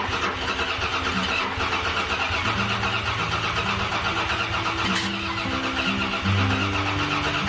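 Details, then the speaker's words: Dodge Dakota after tune-up with new spark plugs, plug wires, distributor cap and rotor: starter churns about four beats a second with only brief catches and no start, because the plug wires were fitted in the wrong firing order. "we still got nothing so you can hear here and there they catch something"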